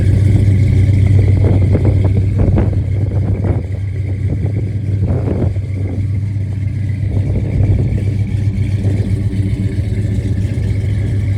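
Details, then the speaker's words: 1967 Dodge Coronet with a swapped-in 440 V8 (originally 318), revived after sitting about 30 years, on open headers just before Flowmaster exhaust is fitted: very loud, deep, uneven burble with popping pulses, no muffling. "Well guys, this is the last time I will see it and hear it before we get the exhaust put on. As you guys know, it has open headers, and then we have getting some Flowmaster exhaust put on, and it'll sound a hell of a lot better, run a lot better, and maybe my feet will stop getting so hot."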